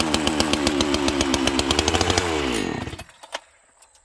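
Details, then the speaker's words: 1985 chainsaw with a governed carb and strong compression, pulls a 3-ft bar; crisp, even two-stroke buzz at high revs, then a clean wind-down on throttle release; healthy, strong normal running. "this will pull a 3-ft bar no problem and it just it runs good and it's not too heavy friends"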